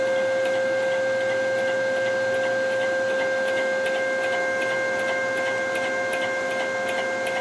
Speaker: it sounds like it's coming from each bearing mount or or in the bearing spot potentially for the ball screw mount